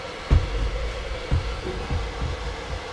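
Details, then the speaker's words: Truma (Trumatic) RV gas heater blower fan tested after cleaning, powered from a second battery: steady, even fan hum with a few dull handling thumps. The blower runs smoothly and healthy, with good air pressure. "let's switch on the fan we can already hear it perfect still running still running"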